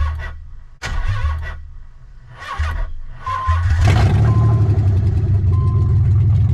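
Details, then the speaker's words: Nissan 300ZX with engine just swapped in, first start after about 10 years unused, open downpipe with no exhaust: cranks, catches, loud uneven stumbling idle; misfire, owner suspects old bad gas. "Definitely still got some of that bad gas in there. I'm gonna have to guess that that's what the missing is all about."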